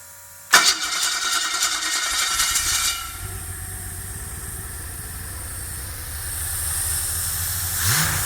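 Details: Experimental aircraft engine with Rotec TBI, primed and purged, throttle cracked, mixture full rich: quick catch on first crank then steady even idle, no stumble or misfire; starts and runs normally.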